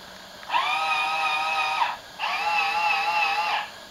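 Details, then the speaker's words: Meade LXD75 10-inch telescope mount during the AutoStar hand box calibrate motor routine: two whining motor runs of about a second each, steady pitch with a slight wobble in a quiet room; drives calibrating normally. "Alright, you hear it working. It's testing out the motors."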